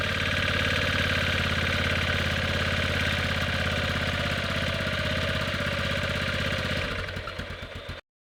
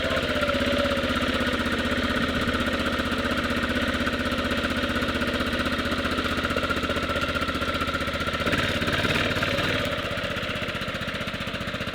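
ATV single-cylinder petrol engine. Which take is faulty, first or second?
second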